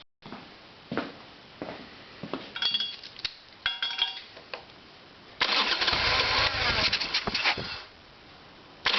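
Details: Harley-Davidson Evolution Sportster: faint clicks, then a couple of seconds of steady starter cranking with no firing; fuel not reaching the carburetor bowl, problem found to be the carburetor.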